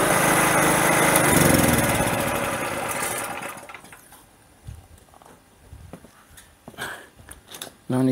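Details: Generator after Tri Fuel carburetor conversion, running on propane: steady, even engine roar for about three seconds, then it drops away; runs smoothly, though owner notes propane flows before vacuum and doesn't shut off.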